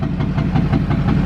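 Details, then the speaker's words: Duramax diesel truck with suspected bad injectors and smoke at idle, after a Lucas additive: even, steady diesel clatter at idle, low and rhythmic with no misses; idling normally, not smoking. "But I don't know, it just how idle and sound good as fuck right now."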